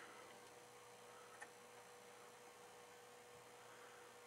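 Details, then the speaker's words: Samlex RPS-1204 power supply switched on but giving no output at the terminals or cigarette socket: faint, steady transformer hum from inside and no other sound; transformer presumed good. "Power supply is coming on, as I can hear the transformer humming inside, so a transformer, you know, should be good, but let's pull this thing apart and see what we can find."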